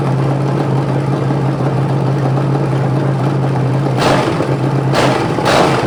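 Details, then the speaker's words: Rebuilt '73 Canadian truck 350 Chevy (big cam, fuelie heads, new piston and rod) for Rambler, after alternator bracket install: even steady V8 idle with sharp throttle blips near the end, no knocks or stumbles; running just about perfect. "so I think that engine's just about perfect now"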